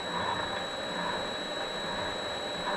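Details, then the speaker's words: Vevor MX400/210 mini lathe at higher speed after tensioner pulley improvements: steady high-pitched change-gear whine over even hum; angled gears can rub, no pulley noise anymore, ordinary gear mesh noise, running well. "it's kind of hard too with these mounting system these gears can be kind of at an angle they can rub you got to be you got to play with them to get it to run quieter but honestly I don't hear any pulley movement seems to be running very well"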